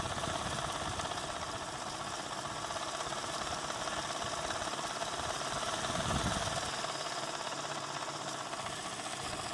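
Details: ADDA computer fan with bad bearings: a steady whir with a fast, uneven rattle about three per second running through it; it runs better than before but the bearing problem remains.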